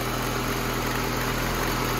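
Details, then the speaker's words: 1988 VW Cabriolet, Bosch CIS injection, rough cold idle: idle smooths out and rises slightly once a loose ground makes contact; steady even hum. "So the idle smoothed right out. It increased a little bit, but it definitely got smoother."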